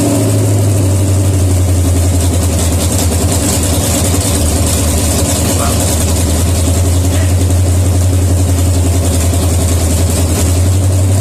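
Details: Rebuilt 1972 AMC 360, bored .030 over, Wiseco forged pistons, 52cc heads, Airgap intake, Hooker headers, Comp cam (310 duration, 510 lift), Holley Demon 750, HEI, first dry start on stand without coolant: deep, even V8 idle, no knocks or ticks, healthy.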